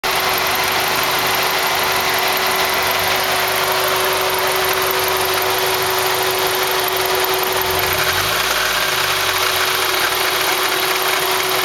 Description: EDIT: Turns out it was the alternator pulley!